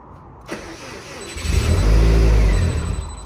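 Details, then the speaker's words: Subaru STi project, first start after flashing the ROM: short crank, then it catches and rumbles low for a couple of seconds before dying on its own. 4 psi oil pressure; owner suspects not enough fuel. "So I'm done. That's it? I'm done. Because it started, it died on its own. I didn't kill it."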